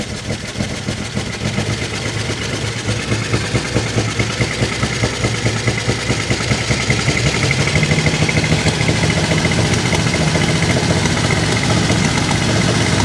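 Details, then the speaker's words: 1949 Chevy Fleetline Deluxe six after freeing stuck lifters, side cover off, with a leaky carburetor needing a rebuild. The beat stumbles and misses at low RPM, then clears up smoothly as revs climb. "gas at the lower RPMs it's like it's missing yeah it definitely clears up with more yeah as it as it comes up it definitely clears itself out"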